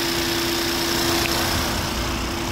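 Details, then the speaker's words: 2022 Peugeot 3008, code P2074-62, prior accident damage, engine running: steady loud hiss and hum with cooling fans roaring at high speed; a big vacuum leak. "so the fans came on really high speed again you can hear it sounds like it but yeah that's just our big old vacuum leak"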